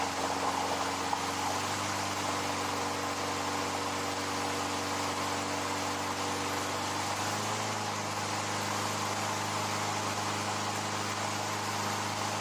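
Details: Older Craftsman 22-inch mower, Briggs & Stratton 6.75 Quantum L-head single-cylinder, after carburetor rebuild: steady, even drone, no misses or surging, settling slightly partway; running normally.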